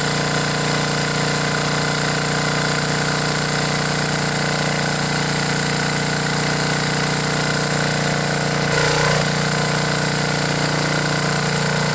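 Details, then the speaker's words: Briggs & Stratton 10 hp generator engine after blown head gasket repair, head bolts torqued to 165 in-lb, choke held open by finger: steady even beat at constant speed, no stumbles, knocks or leak puffing; normal running. "all right time to test this baby out I'm going to have to hold the choke open with my finger because I don't have that plate on"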